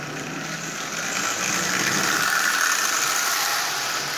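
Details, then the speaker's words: Marx 999 toy locomotive with a double reduction motor built from junk-box parts, open E-unit coil bypassed so it runs forward only, on AC power: light high-pitched electric whir rising slightly with speed, steady and even; runs well. "it runs forward only but as you see it runs it actually runs quite well"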